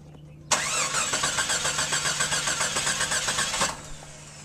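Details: Jeep XJ with a recent no-start, suspected heat soak, injectors, fuel rail and lines heat-wrapped without fixing it: about three seconds of steady brisk cranking, roughly four turns a second, never catches; cranks but won't start.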